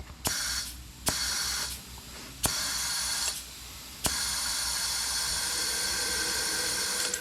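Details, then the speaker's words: Porsche 996 Turbo, engine off, intake pressurized with shop air from a hose reel: steady high-pitched air hiss escaping near the top of the engine; intake won't hold any pressure, zero boost, boost leak. "per usual, I'm holding zero boost. It won't gain any kind of boost. I guess boost. It won't hold any kind of air pressure. I can hear it all escaping up top."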